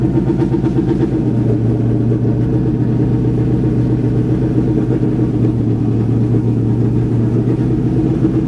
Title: Misfire/stumble